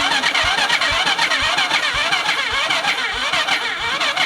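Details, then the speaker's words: Cheap Chinese kids quad sat for years, fuel added in spark plug hole, battery nearly dead: starter whirring, cranking sags, no firing; cause found: key in off position, no spark. "The key was in the off position all that time. No spark."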